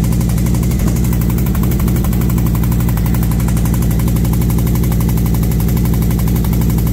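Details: V-twin motorcycle with SS540 cam and valve springs, after a repair, warming up at idle at 40°F outside: loud even thump about three beats a second with intake hiss, no tick; healthy idle.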